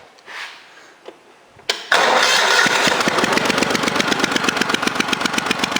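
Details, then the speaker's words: Cub Cadet 3050 4WD at idle, throttle held with vise grips, after a glass-pack pipe was welded nearly solid inside: an even idle with a subdued, choked exhaust note; this side is quieter than the other, louder side. "This side sounds a little bit quieter than the other side."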